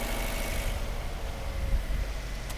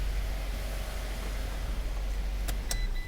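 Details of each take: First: 2012 Fiat 500 with codes P0202/P0302 and a dead miss, new injectors fitted by another shop. An uneven, lumpy idle with a stumble in the rhythm; the cylinder 2 injector, fuse and harness test good, but there is no injector command signal. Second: 2012 Fiat 500 after fixing a cylinder 2 misfire (P0202 injector open circuit, P0302): a steady low idle hum with no stumble or skipped beats and a couple of brief clicks near the end. Normal idle, check-engine light not yet cleared.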